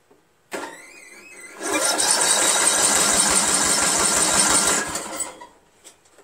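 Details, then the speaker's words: Craftsman lawn tractor with Briggs 17.5 HP engine that won't start: fast, even cranking at about three beats a second, never firing; owner doubts the valves and heads and suspects the wrong camshaft is fitted. "I think we just simply have the wrong camshaft in there"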